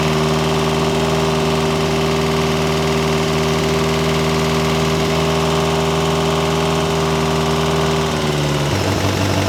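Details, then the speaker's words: Ferrari 308 GTS fully rebuilt V8 after first start in about four years, warming the heads to heat the head gaskets: steady, even low burble, no knocks or misses. Normal warm-up idle. "right let's just warm the heads up a little bit just to get some heat into the head gaskets"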